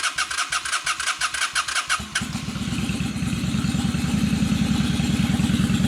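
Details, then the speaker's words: 2003 Honda Shadow Spirit VT750 V-twin, previously running on one cylinder, after carburetor cleaning: starter cranks a couple of seconds, then catches and settles into an even, steady idle with no misses. "Oh yeah, she's running great. idle is super smooth."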